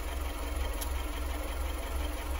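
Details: 2014 Skoda Fabia 1.4 at idle after a shop replaced valves bent when the INA timing belt snapped at 170k km. Now noisier, with a steady low knock about three times a second and oil use of 2-3 L per 10k km; owner suspects connecting-rod bearings.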